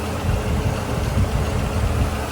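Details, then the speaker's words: Peugeot 307 SW idling after repair: near-broken timing belt replaced, alternator serviced and checked, power steering fluid flushed, charging about 14 V under full load; even low rumble with soft regular pulses, no ticks or knocks, smooth healthy idle. "yang pasti lebih Tenanglah udah dibetulin Udah dicek si alternator udah tenang jadi minimal itu udah tenang timing bel udah diganti udah tenang"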